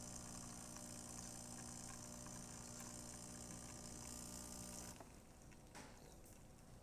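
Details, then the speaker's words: DeLonghi Magnifica XS after shop service, brew unit that was jamming into the mechanic valve fixed by replacing the broken valve; first drops of water, then a steady pump hum for about five seconds that cuts off cleanly as brewing ends, normal. "And you're going to hear the first drops of water, and then it's going to start brewing."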